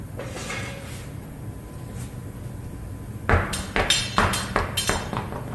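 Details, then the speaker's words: 2017 Honda Pilot, wheel raised off the ground: irregular metallic clinks and clanks as the wheel turns; suspected tire pressure sensor broken free inside the tire, rolling around and sometimes hitting the aluminum rim. Intermittent; customer reported gravel-like and slow-speed clanking. "you hear it and it doesn't do it all the time what I think I think the tire pressure sensor broke free on the inside and is actually rattling around and sometimes hitting the aluminum part of the rim"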